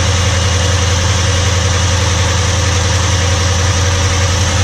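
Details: Holden Commodore, unmoved for over a year, just started cold with old fuel: steady idle with fast, even top-end clatter about two to three per second, attributed to noisy hydraulic lifters on the camshaft; settles somewhat as it warms.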